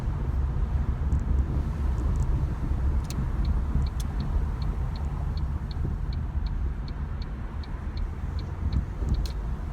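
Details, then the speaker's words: Ford Mondeo driving after replacing all four split rear subframe bushes: steady low road rumble with no knocks or clunks from the rear; the knocking has gone. "Silence is golden. The knocking has gone."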